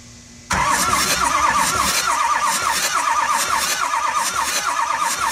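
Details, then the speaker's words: 2006 Ford F350 6.0L diesel, non-running, compression test through the first driver-side glow plug port. Slow, even cranking that never fires. Reading falls short of the required 400 psi and bleeds off; the heads are suspected damaged from recent overheating. "see we're not quite getting our our 400 psi it looks like we're bleeding off there a little bit as well"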